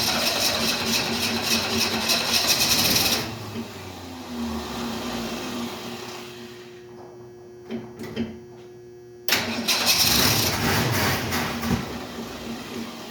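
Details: 1968 Ford Mustang: engine catches, runs a few seconds, dies, fires again only briefly and cannot keep running; owner suspects no gas in the lines and is unsure whether the fuel pump is pumping.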